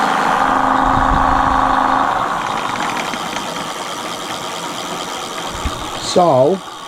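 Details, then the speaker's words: Mate X 20X4 fat-tyre e-bike hub motor under throttle after an attempted repair with added grease: steady high whine with a gritty edge, fading as it spins down. Quieter than before but still noisy; owner suspects it needs more grease. "So it's still noisy, but it's not as bad, is it? As you can tell."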